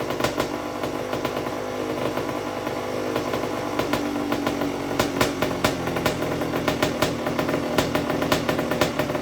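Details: 1991 Honda CR80, 80cc two-stroke, first run after repacking the exhaust silencer: loud, crisp two-stroke crackle with sharp throttle blips over a ringing exhaust; clean and strong, running as it should.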